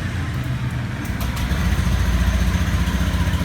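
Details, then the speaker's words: Used 2018 Honda Beat automatic scooter, 16,400 km over 2.5 years, test start while buying, listening for CVT rattle: fires up and settles into an even steady putter with no rattle from the drive; sounds normal. "Oke, kita dengar kondisi mesinnya dulu, Teman-teman. Apakah ada yang aneh atau enggak?"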